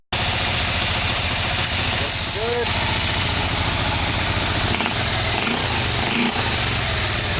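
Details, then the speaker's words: 1987 Yamaha V-Max motor on first start after carburetor sync, carbs on, oil full, exhaust hooked up, oil burning off: engine catches and settles into an even, steady idle with no knocks or odd noises; healthy normal idle. "oil-burning off but it was like the motor started right up not making any noise so I would say this is a success"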